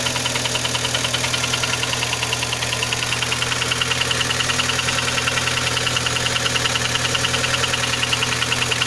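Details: Kia Sportage 3 engine at steady idle with a sharp regular tick-knock about twice a second; knock louder cold, quieter warm, heard at low driving speeds, gone at 60-90 km/h, comes back on re-accelerating; origin unknown.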